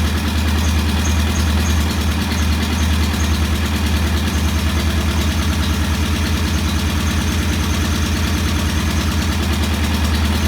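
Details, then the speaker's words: Norton P11 competition twin, after cleaning debris from a carburettor jet (choke needed to start): even, steady thump at a set 1,000 rpm idle, no misses or rattles; idling healthy. "All right, that's a very nice uh,000 RPM idle. I'm going to leave it there."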